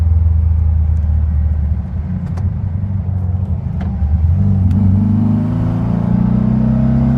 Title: VW bug hesitating and misfire